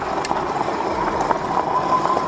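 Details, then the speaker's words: Super73 S2 e-bike on a test ride after swapping broken stock front forks for Bolany air forks set to 118 psi: steady motor whine and tyre hiss, no fork rattle; quiet front suspension. "definitely already a lot quieter than my old suspension you would hear the stock suspension rattling at this point it just felt a lot smoother there is no rattle now"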